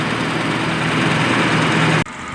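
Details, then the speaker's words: VW Passat B5 1.8 idling after flushing and cleaning the hydraulic lifters. It had sounded like a diesel before. Now a smooth, quiet, even idle with no lifter tapping, even with a little throttle: normal idle. "вот машина стоять заведенная двигатель работает тихо четко излишне строений"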